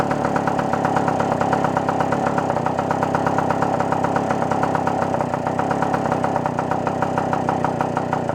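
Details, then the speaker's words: Puch moped two-stroke after repairs and choke refit: crisp buzz holds steady high revs without bogging but sounds a touch muffled and never quite screams; suspected slightly rich, needle clip could be lowered. "so it actually sounds like it might be a little too rich you can kind of hear it doesn't want to just quite scream all the way"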